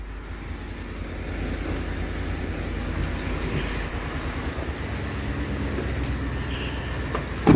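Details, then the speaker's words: Ford F-150 5.4 Triton 3V V8 after exhaust manifold replacement with broken studs: smooth steady low idle, no ticking or exhaust puffing, previous noise gone, sounds brand new; normal idle. "Okay. Yep. Really quiet now. Sounds like brand new."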